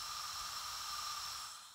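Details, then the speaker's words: Porsche 912 cylinder head on a bench leak-down test at 80 psi after a DIY valve seat job with new intake valves, reground exhaust valves and new guides. A soft, steady high hiss from a tiny dry metal-to-metal intake valve leak, with zero gauge loss. "Even though I can hear some leaks, yeah, I hear a little tiny leak coming from the intake port, which is to be expected. I mean, it's just metal to metal contact dry."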